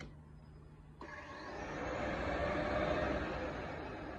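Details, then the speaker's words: 2007 Yamaha FJR1300 in self-diagnostic mode, test 51: the radiator fans cycle on and off five times, a steady rushing whoosh each time they spin up. Normal fan operation on a bike that won't cold start and seems to run lean. "yeah that's the radiator fans on and off on and off five times two three four five"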